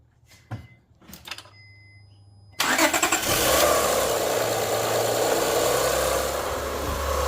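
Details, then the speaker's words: Honda Accord after new timing belt installation, crank bolt not yet torqued: cranks briefly, catches cleanly, settles into a steady, even idle with no knocks or ticks; normal start and idle. "Sounds good, bro. Yeah, it sounds good. I told you. I told you."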